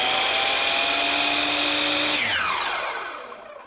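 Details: Hercules dial compound miter saw, after 2 months of use: loud high-pitched motor whine at full speed, then falling tone on spin-down with a squeak near the end; very noisy running, cause unknown, light also flickers from a loose wire.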